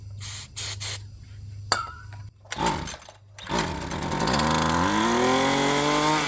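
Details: Poulan Pro PP28 two-stroke string trimmer, roadside find, after priming bulb pumps and pulls at part then full throttle: catches and revs up, holding steady only while fed ether starting fluid; fuel delivery fault suspected, not confirmed.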